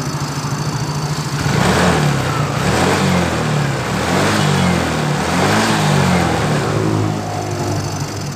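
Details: Yamaha Mio GT with owner complaint of sputtering and cutting out, blamed on a damaged spark plug cap, fuel pump pressure normal: engine picks up cleanly through repeated throttle blips and settles without stumbling; normal revving.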